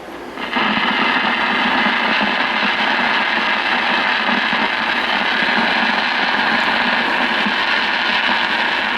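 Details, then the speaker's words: Early-1950s RCA Victor 1X52 All American Five tube AM radio, after replacing hum-causing 50/30 µF filter capacitor: harsh continuous crackling static like a thunderstorm at switch-on, no reception; silver mica disease in IF transformer capacitors. "for those of you who do not know what SMD is it's silver Mica disease and the uh if Transformers have uh silver mic capacitors built into them over the years that thin layer of silver mic degrades and you get what they call SMD silver mic disease"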